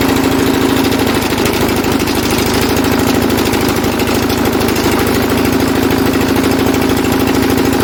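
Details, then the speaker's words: Lister CS Startomatic diesel, self-start attempt by pushing the relay: steady even low-speed knocky chug, runs only while the relay is held; owners suspect too little current draw keeps the relay from staying in, not confirmed. "Well, let's push on this relay and see if that'll self start."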